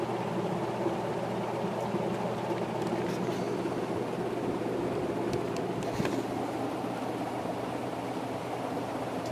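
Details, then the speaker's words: Antique Century ceiling fan, 2-speed with higher-powered motor, on high drawing 3.55 A: even low motor hum with a steady airy whoosh, no wobble, ticking or rubbing; spinning fast and moving a ton of air, smooth and well balanced. "Yeah, this one flies. It's really spinning fast and moving a ton of air."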